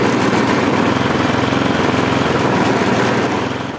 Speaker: widzicie kosiarka pracuje bardzo niestabilnie bardzo nią szarpie było widać to też na rączkach pracuje w takim swoim dziwnym cyklu obroty są jakie są